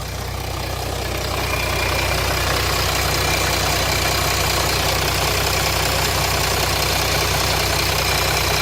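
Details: 2007 Jeep Grand Cherokee 3.0 CRD diesel at idle after oil pressure light came on with correct oil level: fast even metallic rattle about three beats a second; light on at idle, off when revved, owner suspects timing chain, cause unconfirmed.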